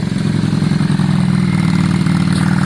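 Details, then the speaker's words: Yamaha Virago V-twin running after a new spark plug: even, steady twin beat with firm low exhaust note, no misses; sounds better, though carb balance may need redoing; normal running. "it looks better it sounds better it don't look particularly quick but let's see"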